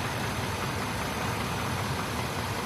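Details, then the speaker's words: GMC XUV from Copart, 12k miles after rebuild, earlier bad-lifter tick possibly from low oil, cold weather: a steady, even V8 idle with low rumble and no top-end tapping; lifter tick gone for now. "now she looks like she's running good and I really don't have that lifter tick now"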